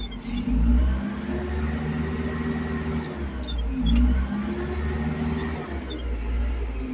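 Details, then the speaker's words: Caterpillar 580 telehandler diesel: low drone barely climbing as pedal is pressed, revs creep up slowly; low power and sluggish throttle response. "because the acceleration is not she can hear the engine i put the pedal in our pool but the engine is slowly raised"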